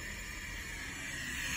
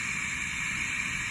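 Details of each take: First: Two-pipe steam radiator with vacuum drawing air through the controller valve: steady, high, airy hiss with no knocking. This occurs only under vacuum, not in normal steam operation, and the valve is not perfectly sealed; harmless. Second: Two-pipe steam radiator with partial heat, valve controller at the radiator: steady high airy hiss over faint low rumble as the vacuum pump sucks through the controller; occurs only under vacuum, not in normal steam operation, nothing to worry about.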